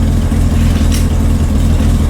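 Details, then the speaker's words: Corvair air-cooled flat-six after a cold valve adjustment (one valve clacked on a test drive): deep, smooth, steady idle with no valvetrain tapping. Normal idle, though idle speed still needs readjusting. "okay here we go we're running and we aren't clacking"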